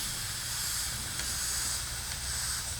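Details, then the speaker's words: Stihl MS270 chainsaw, carburetor removed, fuel tank stoppered and pressurised with about 1 PSI compressed air, engine off: steady thin hiss of air escaping from the fuel line; cracked, bad fuel line confirmed, to be replaced. "So that air is coming out. Oh yeah, right there. Yep, we got a bad fuel line."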